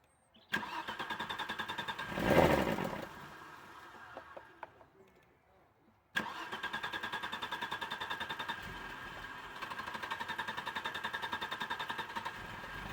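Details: 1996 Audi 80 Coupe 2.6 V6, unmoved for 15 years: cranks and barely catches, then idles steadily only on petrol hand-fed by syringe; failed fuel pump.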